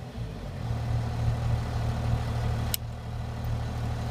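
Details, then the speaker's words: First-gen 12-valve Cummins diesel idling with a newly wired high-idle setup (cruise control solenoid, push button held a few seconds) that raises idle to around 1200 RPM, switch flick shuts it off; steady, even idle clatter, normal. "it's going to start going up and then release it as you can see it's all them up at around 12200 RPM"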